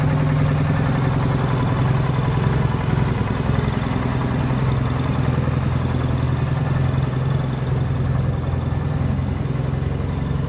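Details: Military Munktell C1 road grader hot-bulb engine, first start in over 50 years: deep, slow, steady thumping beat with a loose clatter on top, running properly.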